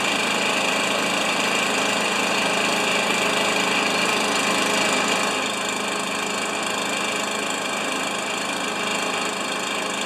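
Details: Stihl BR430 backpack leaf blower, neglected three years, running after the carburetor butterfly was flipped: steady, high two-stroke buzz with even rhythm and no misses; normal running.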